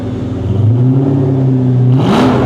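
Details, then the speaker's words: 1997 Ford Mustang GT V8, first start after fitting a BBK X-pipe mid-pipe and SLP Loudmouth exhaust, hood open: deep even burble at idle and a smooth, clean rev blip; normal revving, healthy engine. "God, that actually sounds real good. That sounds nice. I like that."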